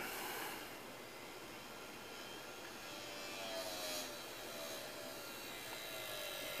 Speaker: that sounds unhealthy may have to re-record that at a lower speed damn that sounds sickly